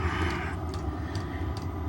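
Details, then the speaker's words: Homemade diesel heater build (turbo, supercharged, hot oil injection), running lean per the O2 sensor. The dosing pump, bolted to the board without its usual silicone casing, ticks crisply about twice a second over the heater's steady rumble; normal, just loud. "all right I've forgotten how noisy these pumps were I mean I've got all my pumps encased in silicone so I don't hear them anymore and I bolted this to The Bard and my God it sounded like something banging on the side of a ship"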